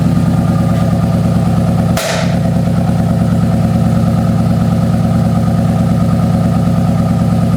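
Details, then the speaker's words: 2009 Subaru WRX after an EJ255-to-EJ205 JDM swap, warming up: idle is uneven and lumpy, stumbling about twice a second, with a raw fuel smell. It smooths out when revved slightly. Plugs and injectors already changed, coil packs swapped around, compression good. Misfire. "misfires this is Lally what it does but then you go in here and you grab it up grab it up just a little bit the engine moves out the engine Smooths out sounds like a Subaru"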